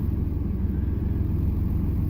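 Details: 1998 Chevy Silverado 1500 with 4.3 Vortec V6, 4WD, right after a fuel pump replacement for low fuel pressure and hard starting: started quickly, now at a steady, even idle with no misses, knocks or stumbles; fuel pressure around 50–53 psi.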